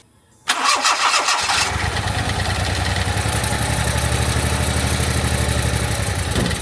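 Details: 1991 Daihatsu Mira van, after oil-soaked distributor cap and parts replaced: catches after a brief crank and settles into a steady, slightly uneven idle with some misfiring remaining; much improved.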